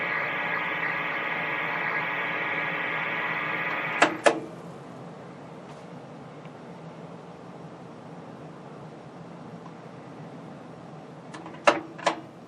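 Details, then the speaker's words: Old tube TV set ("Brian") powering up after sitting unpowered for years: harsh buzzing hum for about four seconds, then two sharp clicks; not supposed to sound like that, raster gradually improving as the old caps revive. "we're gonna power this up again because it just sounds so cool when it powers up not though it's not supposed to sound like that when we're done it won't"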